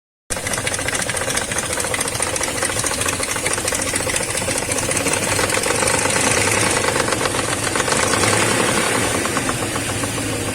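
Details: BMW M62B35 V8 running rough after a poor-quality repair, fast uneven metallic slapping and rattling over the engine note; camshafts found nearly a tooth out of time on both banks, timing chain slap.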